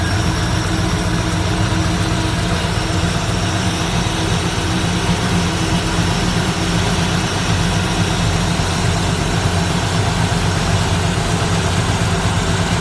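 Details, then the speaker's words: 1964 Ford Fairlane V8 fitted with an old Busch Series race carburetor: deep steady rumble held well above normal idle that won't settle down, because the throttle return spring isn't strong enough to close the throttle. "it won't idle down it's still it's still idling up way too high"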